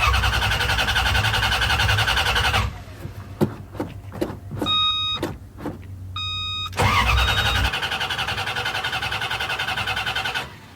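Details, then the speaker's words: Newly wired engine after fitting missing fuse: fuel pump now runs but repeated bursts of starter cranking about three and a half turns a second never catch; engine light reportedly should go off when cranking or starting; injectors next suspected. "There's the fuel pump. So it must be so I still have a problem because it's supposed to go off when it cranks. I think it's supposed to go off when it starts."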